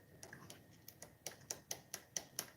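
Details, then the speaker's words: Redcat Racing Tornado RC car after drag racing, driveline turned by hand; sharp ticks four to five per second, owner suspects a sloppy dog bone clicking, not confirmed. "Because when I move this dog bone, this dog bone right here appears to have a lot more slop in it than the other side."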